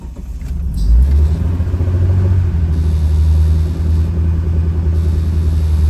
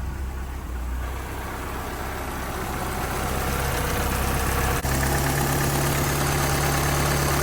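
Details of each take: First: 1986 Dodge Daytona Turbo Z Shelby after turning in the bottomed-out idle screw: deep, slow, lumpy rumble; idle slightly better than before but still really low. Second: 1986 Dodge Daytona Turbo Z Shelby turbo four, rebuilt engine, after turning the idle adjustment up. Low, even, smooth, steady idle: normal. A loose plug is noted on cylinder two, and it smokes as it did when first started after the engine build.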